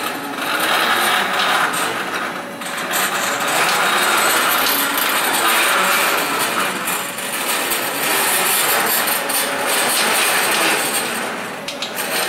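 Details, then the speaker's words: CNC plasma table X-axis stepper motor running on its first night in use: a harsh, gritty buzz runs steadily as the axis creeps slowly, with an uneven, jerky stutter; the stepper is rough and noisy at low speed. "this motor is very noisy at low speeds um I don't know it makes a real buzzing noise and then I also noticed that it's a little little bit jerky"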